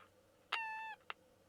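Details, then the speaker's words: Old transistor radio with distorted audio, needs recapping; short bird-like chirp, steady tone about half a second, then a click at switch-off. Chirp heard at power on/off, cause unknown. "you turn it off listen to that do it again turn it on isn't that cute that reminds me of the noisemakers i used to make back in the late 60s"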